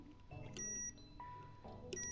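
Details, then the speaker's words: 2022 Suzuki GSX-R1000R salvage bike that cranks but won't fire, with no fuel pump priming heard: clear steady multimeter continuity beeps on each fuse in the fuse box, showing the ABS and dimmer fuses are good. "So, if it beeps, then it's all good. ABS is good. The dimmer is good."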